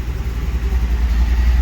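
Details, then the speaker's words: 1949 Chevy 3100 truck with new carbureted V8: deep, even low rumble with steady loping pulse, no knocks or misses; idles smoothly, but when cold it bogs until warmed up, possibly needs carburetor adjustment. "What do you think? Sounds good, runs well."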